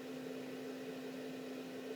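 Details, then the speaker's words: Autoterm/Planar diesel heater in a campervan, first test run at 6 °C with housing open: steady, fairly quiet whir with mid hum and airy rush, no rattles or scraping; blowing hot air normally. "there's hot air coming out of there that's good and all in all actually you know that's not that loud bearing in mind I've got all the gubbins open here"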